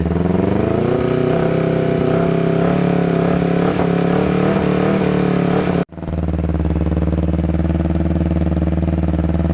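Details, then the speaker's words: 2009 Kawasaki Ninja 250 twin at idle: uneven, ragged rough running with faint top-end ticking, cutting out and restarting; engine later opened and a defective left-side crankshaft found and replaced. "Hai Oke teman-teman jadi motornya tadi sempat hidupkan ternyata bunyinya lumayan kasar ngelitik di bagian recsel"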